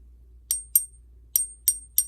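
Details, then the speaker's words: Five taps on a purported Chinese Silver Panda give short dead clicks with almost no ring, like a rock; the dull ping indicates a counterfeit. "that sounds like a rock doesn't it that sounds awful and i'm pinging the snot out of it and i can't get anything out of it that's terrible"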